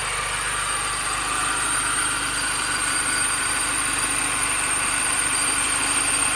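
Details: 2005 Mini Cooper S: steady idle with a thin high whine over the engine from the accessory drive; owner suspects the idler pulley.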